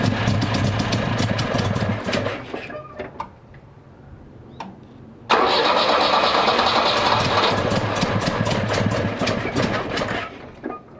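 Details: 1966 Volvo 122S Amazon with worsening cold-start trouble, after simple maintenance fixes (wrong spark plugs bought, so not changed): long cranking catches and runs ragged, dies, then cranks again and fires rough and uneven; still hard-starting and poor-running.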